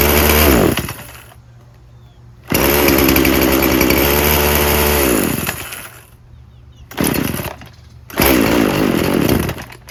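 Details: Poulan Pro 50cc chainsaw with a 20-inch bar, little gas in the tank and no bar oil: it roars briefly, then sags and dies, restarting and fading in short bursts; it bogs and won't stay running, cause unconfirmed.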